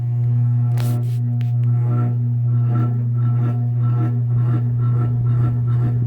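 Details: Antique Century closed-top 60-inch ceiling fan, late 1910s–early 1920s, started 0 to high, camera close to motor: strong low hum with faint rough rustle building as it spins up; noisy startup, owner suspects winding or loose parts.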